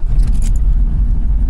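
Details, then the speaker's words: Car on E85 (flex fuel 63%) at 13°F in a Pennsylvania January; just after cold start, intake 17°F: deep even rumble, brief jangle, settling to steady cold idle, normal. "wow it's cold idle's coming up afr what a machine so yeah cars running uh yeah it wasn't a bad cold start considering the e85"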